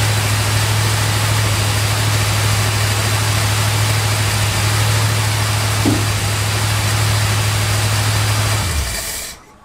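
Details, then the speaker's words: 1971 Chrysler New Yorker 440 V8, cold, after fuel system overhaul with new tank, pump and AVS2 carburetor: steady raised idle hum; choke fast idle set too high and needs backing down. "that choke idol is way too high for my liking so i'm gonna back that down real quick before the engine actually gets warm"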